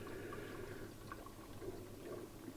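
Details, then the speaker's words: 20-year-old Hotpoint 6834 dishwasher after drain pump cleaning: soft, even trickle and pour of water into the tub with faint hum behind; normal fill, first of three fills before washing. "so it's drained it is now filling on this one it's quite a bizarre bizarre thing it does three fills"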